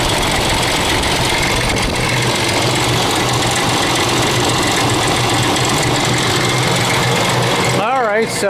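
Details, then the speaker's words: 2000 Ford Expedition 4.6 V8 at idle: a constant fast clicky-clacky rattle like marbles in a can, the timing chain slapping the housing. It has got progressively worse over about 6 months, and the noise is gone when the engine is shut off. "you can hear this clickey clacky noise sounds like marbles in a can or whatever common chain is slapping against the side of the housing"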